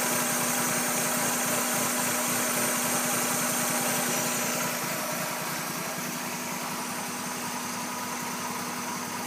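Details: 1996 Mazda Miata 1.8L idling with a steady hum but an uneven, slightly lumpy beat underneath, no clear knock; rough idle, cause unknown.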